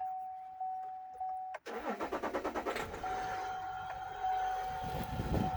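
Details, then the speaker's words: Chevrolet Silverado 3.0L Duramax diesel, first start after coolant control valve replacement and valve learn: starter cranks about two seconds with even pulses, engine catches promptly and settles into a smooth diesel idle with coolant flowing; normal start. "Well, it runs. Sounds like a motor. We got something happening in there."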